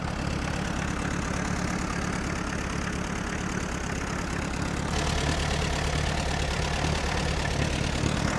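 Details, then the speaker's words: Allis-Chalmers C tractor with Woods L59 belly mower, first start of the year after choke start, oil pressure steady around 10 psi: low, even putter at idle with no knock or miss; runs well, normal idle. "All right, let's go see. Runs pretty good. I like it."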